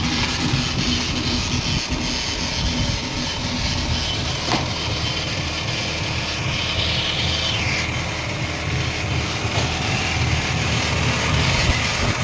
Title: sound of Worn out wheel bearing, Holden Barina Tk